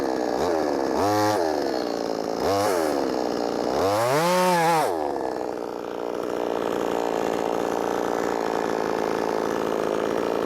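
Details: Brand-new, unbroken-in Wemars 6220 clone chainsaw on shakedown run revs up crisply, pulls down evenly in the cut and recovers without bogging; loud, revs good; healthy chainsaw cutting under load.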